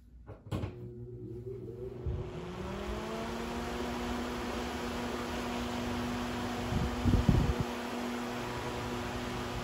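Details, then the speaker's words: Accuflo AF 51201 muffin fan, 120VAC 29W single-speed shaded-pole 2-pole motor with sleeve bearings and factory oil: fan number 2 spins up to a steady, even hum. It runs smoother than the first, barely shaking, maybe slightly faster; normal running. "Okay, so it runs about the same. This one's actually a bit smoother than the first one. I can barely feel it shaking."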